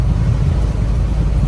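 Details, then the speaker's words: Mercedes Sprinter 3.0 V6 OM642 diesel after intake swirl motor fix, previously going into limp mode with no power: steady low highway drone at 70 mph, about 2,800–2,900 rpm, no knocks or surging, no check engine light; normal cruise. "so we're tooling down the highway at 70 in about 2,800 2,900 rpms and she's running smooth no check engine light no problems"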